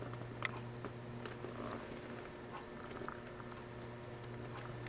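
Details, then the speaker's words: Bogen CHB-10A tube PA amplifier being converted from 7868 to 7591 tube for guitar use, powered on with tubes removed drawing about 4.5 watts: faint steady low buzz at one pitch under clicks and rustling; transformer hum suspected, not confirmed. "humming like transformer hum i don't have any uh why i got um four watts what would be four watts just the transformer it's humming for four and a half watts"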